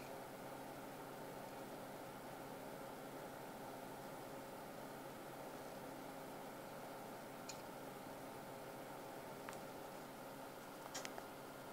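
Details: Western Digital WD10EZRX Green 1TB hard drive whirs and hums steadily, with a few sharp clicks breaking through late on; hard drive clicking.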